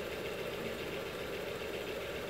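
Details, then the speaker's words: ACME handsaw vise and filer machine after cleanup and fitting a link belt: quiet even running hum with faint light rustle from the link belt; runs smoothly, much better than before. "there's a much better sounding machine still here a little bit noise coming from this belt I think with a regular beat belt all of that noise tell them to go away pretty happy with that"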